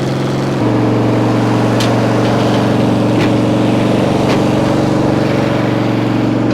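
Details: Multiquip 1.5-ton asphalt roller's small single-cylinder engine, which would not start, idling after its fuel pump was replaced with a cheap clicky electric pump; it settles into a steady, even lawnmower-like putter with no knocks or misses, a normal idle.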